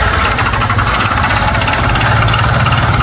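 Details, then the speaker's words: Single-cylinder motorcycle, misfiring and losing oil (about 1 L before 1000 km): fast loud metallic rattling over a busy idle, a serious internal knock; engine needs opening, cause not confirmed. "Tem um barulho terrível aí dentro. Uma cascavel aí dentro."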